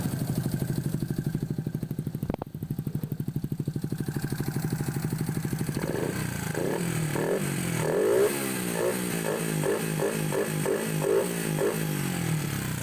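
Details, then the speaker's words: Honda XRM 125 fuel-injected 4-valve single, after replacing the timing chain tensioner: steady idle with even valvetrain ticking, revs rise and fall cleanly, no chain slap or tensioner rattle, only ordinary cam noise; normal cam noise. "So goods na yung 4 valves natin, wala nang ingay dun sa timing chain or sa tensioner. Doon na lang sa cam. So normal na ingay na lang yan mga do."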